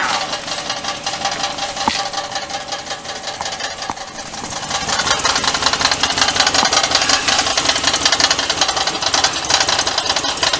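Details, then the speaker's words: Car with a just-completed 5.3 LS swap, running: harsh buzzing rattle that grows louder partway through then starts to fade; something vibrating, suspected exhaust or transmission, not the motor; source unconfirmed. "I don't know what that sound is. It sounds like exhaust. It's in the training. Sounds like it's in the transmission. It ain't in the motor, that's for sure."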